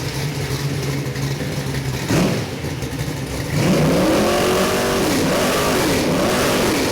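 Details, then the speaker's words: Oldsmobile 455 V8 crate engine for a '72 442, about 500 hp, Edelbrock aluminum heads, mechanical roller cam, Holley carb, forged rotating assembly, first break-in run: catches, lumpy idle, revs and settles cleanly, no valvetrain ticking, healthy. "show you what it sounds like before we get the March kit on here let's fire this baby up we got about 500 horsepower"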